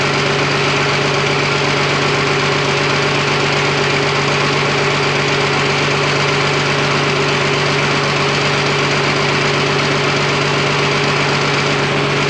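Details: Freshly rebuilt twin-turbo Fummins diesel on first start, injection pump timing just set, no coolant, fuel leak present: even, steady clatter at about four beats a second, no irregular knocks or misses; healthy idle.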